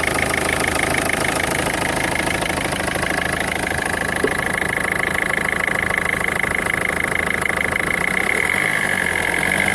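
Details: 2004 Peugeot 1.4 HDi diesel: steady clatter with a thin whistling tone on top; an abnormal engine noise, cause not pinned down.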